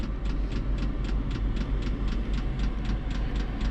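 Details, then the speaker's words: Chinese diesel air heater in a van, set to 35, warming up with air blowing: steady ticking about three clicks a second over low fan hum as dosing pump speeds up; normal running. "And say, pump gets faster, and this is starting to warm up."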